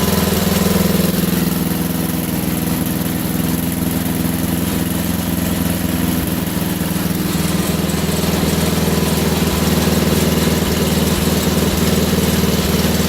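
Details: Wheel Horse GT2500 garden tractor single-cylinder engine just restarted: slightly uneven, lumpy, wavering idle, running a little off; owner suspects a stuck carburetor float, may remove the carburetor. Rough running.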